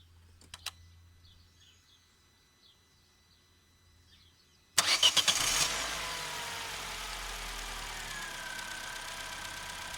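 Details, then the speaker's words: Opel Corsa C 1.2 16V (55 kW) petrol, cold after a couple of hours, after spraying connectors: short crank, catches at once and settles to steady idle; clean cold start. "So, a couple of hours have passed. The engine is definitely cold. When we sprayed the connectors. And it worked at first."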